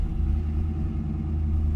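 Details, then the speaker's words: 2002 Pontiac Trans Am WS6 after the starter repair, on 93 octane, warming up: deep, steady low rumble with even beat, no misses or knocks; healthy idle. "Woo! Running good. I'm happy to see that because I've been doing some self-tuning."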